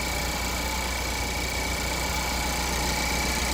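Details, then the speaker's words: 2015 Ford Focus idling after a new serpentine belt and a quart of oil added to a nearly empty, black-oil engine; check engine light on, not yet scanned. Smooth, even idle with a faint steady accessory-drive whine, no squeal, knock or miss. Normal idle. "The new belt. I put a quart of oil. It seems to be running fine."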